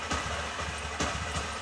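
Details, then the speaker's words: Honda SP BS6 motorcycle, 3381 km, starting trouble and poor pickup, stalling on throttle: rough uneven idle with irregular stumbling bursts on throttle blips instead of clean revs; misfire. "এখন আমদের pickup ঠিকঠাক আসছে না এটা সমস্যা হছে গাড়িটার pickup নিচ্ছে নাই এবং স্টার্টিং এ সমস্যা করছে"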